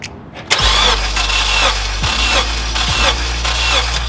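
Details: Honda Element K-series engine cranking during a compression test while chasing a cylinder 2 misfire: steady whir with even regular pulse, no knocks or drag; all cylinders within 5 PSI of 180.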